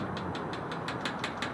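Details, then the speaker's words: Magma boat grill newly installed on its bracket rattling quickly, about five or six ticks a second, over a steady engine drone; loose mount rattles at the slightest touch. "what i can't deal with is this take a listen it's rattling like i barely touch up here"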